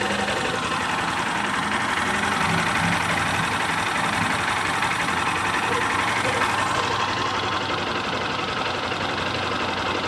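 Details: Honda Start 160 (CG 160) single-cylinder idle with a fast, uneven tapping about four per second; owner asks whether it is normal, source unclear; engine noise at idle.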